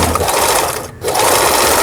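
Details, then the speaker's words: Very old Singer Merritt SR8 110 V sewing machine, apparently unused about ten years, after repair, pattern dial set for overlock stitch: quick, even whirring needle-drive chatter with one brief pause; stitching normally. "오버록 스티치라 그러죠. 우리가 얘기하는 오버록 바느질이 지금 나오고 있습니다."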